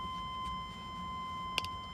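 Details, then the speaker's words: 1996 GMC Suburban 6.5 L Detroit Diesel, reported to run rough and smoke, at key-on: steady continuous high warning tone with a single click; wait-to-start chime, suspected glow plug indicator, no glow plug light seen. "not seeing any glow plugs coming on well it says wait to start so i wonder if maybe that's the glow plug indicator"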